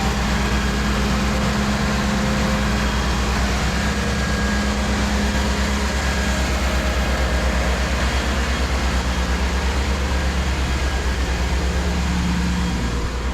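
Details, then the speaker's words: Cummins 6.7 truck diesel in a 1969 trawler repower, running after resealing the engine; deep, even rumble with steady beat, no squeak, tick or knock; leak cured and earlier squeak stopped by itself. "Good news. No more leaking. No more squeaking."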